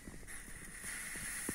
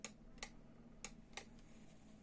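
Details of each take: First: FIF 6285 steam generator iron, boiler cap undone gently after a short cool-down, giving a thin steady hiss as trapped steam pressure escapes. The heater works. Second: FIF 6285 steam generator iron, base warm so the heater is working: steam button pressed gives only sharp plastic clicks over a low hum, with no valve click from inside, suggesting a steam valve fault.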